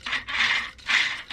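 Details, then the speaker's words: Vanquish H10 Optic RC crawler kit with a Knight Customs working interior: the servo moving the figure's arm gives short, rough, chattery buzzing bursts with brief gaps instead of running smoothly. The owner will probably swap it for a different servo. "And see, you can see how chattery that noise is. So I probably will change it to SD90."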